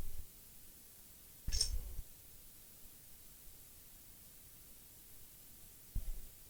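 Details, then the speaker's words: Two lone sharp relay clicks about four and a half seconds apart in a quiet room; the set powers under voltage but shows no picture on screen, fault still unknown. "I can hear the relay clicking, but it's always under the voltage there. It's no picture on screen, and that's my problem."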